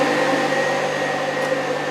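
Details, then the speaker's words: 1968 Mustang with Alloyworks aluminum radiator and its electric fans: steady fan hum with a faint pulsing beat that cycles into a rhythmic vibration felt in the car; the faulty fans, fixed by replacing them with new fans. "you can hear it now a little bit more like it's a rhythmic thing like you hear this and you'll feel it you actually feel it in the car"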